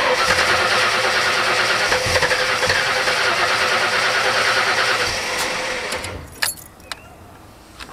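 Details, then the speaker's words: 1977 Ford ZH Fairlane Cleveland V8, first start after a Holley Sniper EFI install with the throttle cable unhooked: loud, fast, even idle about three beats per second, then settling and quieting; high idle while the EFI learns and targets 800 rpm. "all right she's pretty loud at the moment he's currently doing a bit of learning trying to anyway trying to target 800 rpm for the idol the idler control is going up"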